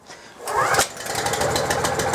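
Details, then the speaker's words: slipStream Pro petrol pressure washer started with the petrol switched on and the cord drawn until it bites, then pulled gently with two hands toward the right shoulder. The small engine catches at once into a quick, even putter. Normal first-pull start. "I'm going to pull it nice and gently, and I'm going to aim for my right shoulder, and it should pretty well start straight away."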